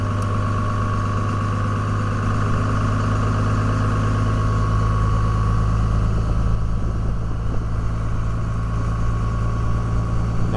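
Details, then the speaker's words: 2002 Dodge Ram 24-valve Cummins HO diesel with VP44 injection pump, cold high idle auto-enabled (intake ≤32°F, coolant ≤140°F), in park/neutral, RPM climbing; steady diesel clatter with deep even drone edging up slowly: normal cold high idle. "the requirements for high anal to enable is 32° intake temperature and below and 140° water temp and Below will cause high idle to enable automatically"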